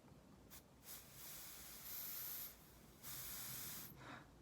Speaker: if you want to try an alternative you can try gently blowing gently blowing into your clarinet and if you hear a little hissing